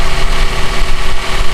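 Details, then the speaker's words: Toyota Avanza idling with AC on: loud coarse growl and churning from the AC compressor, cooling weak; when the engine is hot at standstill the compressor cycles on and off. "Nah jadi kondisinya tuh seperti ini kalau ACD nyalain si kompresor AC Itu berisik banget Nah suaranya kayak"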